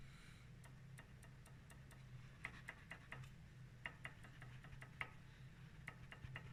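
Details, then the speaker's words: Lada Vesta NG front brake, wheel raised: sharp light ticks at irregular intervals as the front pad moves loosely between caliper bracket and disc while the inner pad is tight; loose pad rattle. "слышите Да вот это у нас гуляет колодка вот между скобой и диском тормозным а внутренняя при этом мёртвая вообще"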